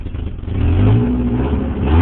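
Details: Rough idle on a 1989 Nissan 240SX: low engine note surging and sagging unevenly instead of holding steady; cause not yet clear.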